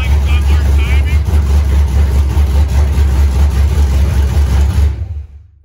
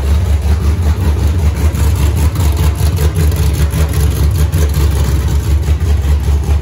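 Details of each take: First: Fresh 5.3 LS V8 engine build with a larger camshaft, first start on open headers with an aftermarket 90mm throttle body: uneven, hunting low idle rumble before shutoff. TPS voltage was just reset and the IAC position reads 170–200 instead of about 60–70. Unstable idle, cause unconfirmed. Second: Freshly rebuilt 5.3 LS V8 first start with open headers, TPS corrected for aftermarket 90mm throttle body: deep, steady lopey idle, no misses or knocks; idles nicely, revs snappy, slight stumble returning to idle thought tunable via IAC.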